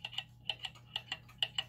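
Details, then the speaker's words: German time/strike clock during pendulum crutch adjustment: sharp ticks in a limping long-short rhythm, about eight in under two seconds, still uneven; clock out of beat, crutch to be pushed further. "still sounds uneven so I'm gonna push it a little more in that direction"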